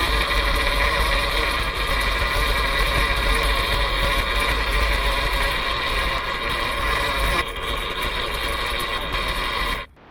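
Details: 1972 Chevy C10 V8 first start after wiring and fuel pump work, warming toward a 170 coolant temperature while timing is set on an e-tuner: deep, steady, even loping idle with no knocks or misses; normal idle.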